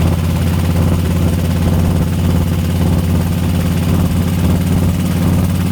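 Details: 2004 Harley FLHTCUISE 103 at idle: loud heavy lopey V-twin idle with faint quick ticking over it; owner asks what the horrible tick is, source unidentified.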